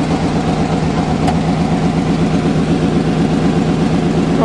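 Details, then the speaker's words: Old Chevy truck, cold start on a snowy February day; usually knocks but oil thick from cold: steady low rumble, even pulses about 160 a minute, no tapping or knocking; normal cold idle. "not even knocking today what's the problem oil must be thick it's so cold outside"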